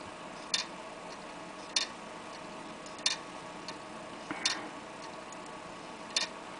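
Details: Laptop hard drive that is not read or detected at all: sharp isolated clicks about every 1.5 seconds over a quiet hiss; failing head clicking, the click of death.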